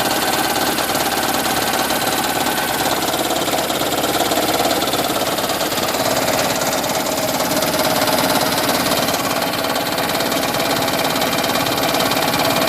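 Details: 2010 Toyota Prius idling with AC on: a fast, steady tapping knock, three or four a second. It occurs whenever the engine idles while charging the hybrid battery, also at 7–30 mph under heavy load, and stops on its own.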